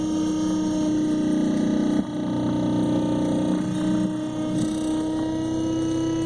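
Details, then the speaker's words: A Minn Kota i-Pilot trolling motor runs with its lower-unit 5/16 bolts loosened. It gives a steady tone with a strained, dragging whine that shifts as the unit is adjusted. The misaligned lower unit drags the motor, draining the battery. "that pitch? Hear that? That's not good. Hear that drag?"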